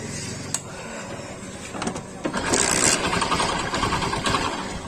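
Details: Old-model Hero Honda Splendor brought in by its customer with an engine noise: a sharp, fairly regular knock, about three or four a second, over the engine clatter, indicating a crankshaft knock.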